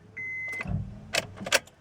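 A chime, then one dull clunk when the key turns and no cranking at all; the engine will not turn over. Cause suspected, not confirmed.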